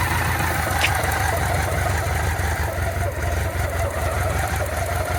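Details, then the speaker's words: 1985 BMW K100 motorcycle, first start after fire damage and a replaced fuel injection relay: low idle that pulses unevenly instead of settling; throttle adjustment probably needed. "Not bad. Looks like I might have to adjust the throttle."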